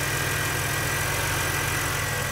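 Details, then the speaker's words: 2006 BMW 330i (E90, N52) after adding Lucas heavy-duty oil stabilizer: smooth, steady idle with an even low hum and no ticking from the valvetrain; the earlier lifter tick is gone. "there's no sound nearly as horrible as before I mean from before like you could be all the way over here and all you hear is clock now I mean she she's the way she should"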